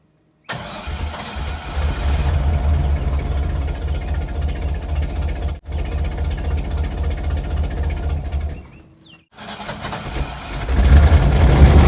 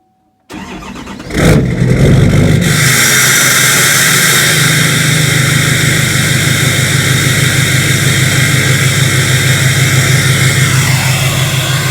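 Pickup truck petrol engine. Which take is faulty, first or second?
first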